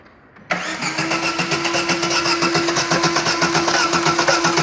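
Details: Chevrolet Corsa engine catching and settling into a fast idle with a steady ticking pulse about four per second and a faint constant tone; engine noise, source unclear.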